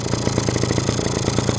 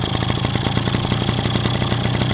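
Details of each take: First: Two-stroke engine after the carburetor was rebuilt and refitted, earlier lean and stalling: crisp, even popping at about ten beats a second holds a steady idle without choke, with no hunting. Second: Two-stroke idle turns busy, uneven and thin with hunting crackle as the mixture (quality) screw is backed out, running lean; screw suspected to have loosened itself in use after being set about 1.5 turns out; screwing it in drops revs as expected.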